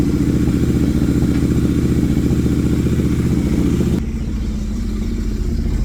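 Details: Motorcycle running after replacing and resoldering a faulty kickstand switch, with the check engine light cleared by scanner; steady regular low beat, slightly quieter after four seconds, smooth even idle with no misses or knocks, normal.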